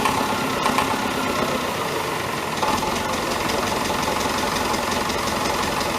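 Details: David Brown 1490 diesel tractor idling evenly on its first run after an engine rebuild: a faint knock mixed into the clatter. Owner suspects a fuel injection knock, unproven; injectors are being reconditioned.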